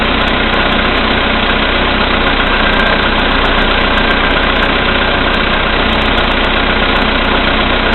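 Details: VW Polo Sedan, CFNA engine, 2222 km, cold start at -5°C after sitting overnight, oil three matchsticks below max, 98 fuel: steady rapid knock just under four a second, louder when lights or heated glass add load; cause unconfirmed.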